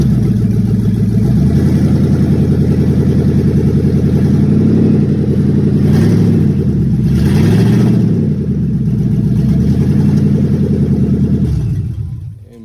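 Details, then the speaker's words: A loud, raspy, uneven rumble swelling with each rev and a deep open exhaust tone on a truck; the exhaust pipe is broken and patched with aluminum foil tape, and the catalytic converter is not cut out. Exhaust leak. "Sounds like it has an exhaust issue and may have the cat cut out of it."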